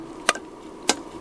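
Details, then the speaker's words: Refurbished Century electric motor wired for 240 V, coasting down; two crisp clicks about half a second apart in a quiet room as the centrifugal start switch loses force and snaps closed normally. "and as our spin down slows that centrifuge start loses its forces or momentum holding it open and it will close"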